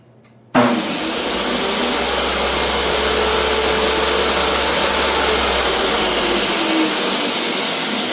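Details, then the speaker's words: Restored used DeWalt DW744 job-site table saw switched on for the first time after cleaning and adjustment: motor starts sharply into a smooth, steady high whine with no grinding or rattle, running healthy. "That seems good to me."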